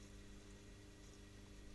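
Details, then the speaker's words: Tiny plastic demonstration pump (motor about 1/100 kW) with plastic tank and pipe, moving liquid between vessels with inadequate suction energy, air bubbles drawn through: steady low hum with rough gritty hiss, like rocks passing through; pump cavitation. "Now, this pump is complaining. I'm going to get what the problem is. We don't have enough suction energy coming into the pump."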